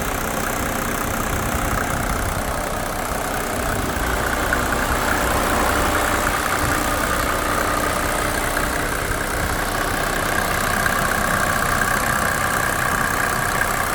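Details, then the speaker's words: 1987 Mercedes 300SDL W126 OM603 diesel during diesel purge: steady, even idle with light regular clatter; quieter and healthy. "Sounds so good. So look how quiet it sounds now. Beautiful."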